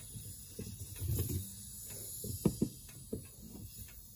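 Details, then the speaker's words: Air strut leak on a 2006 Land Rover LR3 whose front dropped overnight: quiet, irregular bubbling gurgle in soft bursts at the passenger-side front air strut, likely an original strut, leaking air. "sounds like the passenger side front air strut has a leak"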